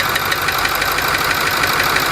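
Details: Ford 6.4 diesel V8 idling with sharp steady knock about six raps a second; toggling injector 4 on and off changes cadence but knock remains.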